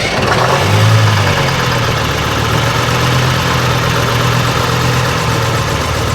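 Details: AVGP Husky armored vehicle diesel, sat outside 10-15 years, first start attempt after fuel pump plugged in: churns over steadily on the starter with a low, even cranking beat but never catches; no fuel delivery, crew checking return line.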